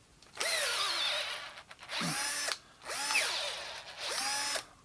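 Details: Makita DF330D cordless drill after gearbox repair: four short bursts of smooth whine spinning up and down in first gear, drill mode, with no crackling from the gearbox or slipping; previously the chuck could be held by hand.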